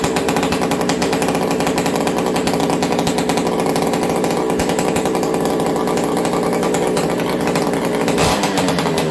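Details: Ported XL 922 Super chainsaw started on full choke, fast throttle, cold and warming up: loud, crisp two-stroke buzz holding a steady fast idle without stumbling or misfiring; runs clean and healthy.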